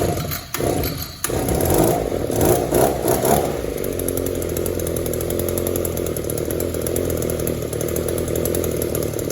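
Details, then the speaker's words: Echo two-stroke trimmer with sound crankcase, no air leaks and a clean fuel filter, after carb idle/mixture adjustment: throttle blips fail to pick up cleanly and fall back to a buzzy idle. It bogs from a lean-running carburettor and could be damaged. "You can tell even after adjustment, you know, the carburetor is not very responsive. It wants to bog a little bit between idle and wide open throttle. The carburetor is running lean."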